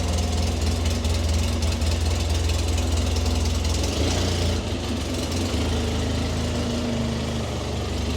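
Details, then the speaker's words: Polaris Ranger 6x6 UTV after wheel bearing and boot work, test drive: steady low idle with loud, slightly uneven mechanical clatter, sounds better than before but still noisy even in the cab; normal running for this machine. "oh that sounds better already doesn't it even in the cab yeah I said that sounds better already yeah not quite bad but it's still noisier than you would have like a quar well I did say they are noisy things aren't they"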